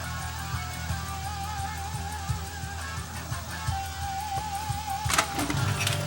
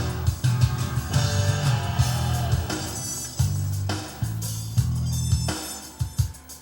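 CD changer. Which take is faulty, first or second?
first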